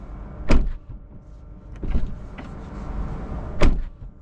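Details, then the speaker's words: New 2024 Tesla Model 3 Highland, standard range: two firm single thuds a few seconds apart over a faint motor whirr, no rattle after, the door shutting really firmly; normal door close. "oh it's so it's so firm it's it's really really firm it just closes in nicely"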